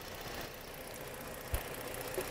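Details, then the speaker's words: 2011 Ford Edge 3.5 Duratec V6 after replacing the failing evap purge valve: steady, even idle with no irregular ticking or hiss spikes; purge valve vacuum draw normal, no warning lights. "uh the suction on it is every everything is good uh so purge valve is replaced"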